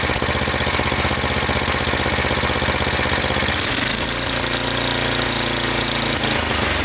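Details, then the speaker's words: Snowblower that surged at idle, after cleaning out carbon and spraying fogging oil: small single-cylinder engine holds a steady, even idle with no hunting or surging and idles down without stalling. "Now it's not surging and it can idle down without stalling out. So hopefully that was it."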